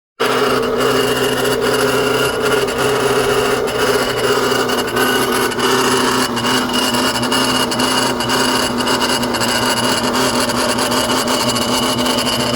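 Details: BMW N54 engine running: loud, steady rasping grind over the engine, unchanging throughout; owner suspects the AC, source not confirmed.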